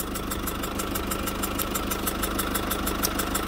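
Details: Citroën C4 Picasso 1.6 HDi 110 diesel, cold engine idling, sharp even ticking about three per second over the idle, compression escaping past leaking injector seals; burnt diesel smell can enter cabin; injector seal compression leak.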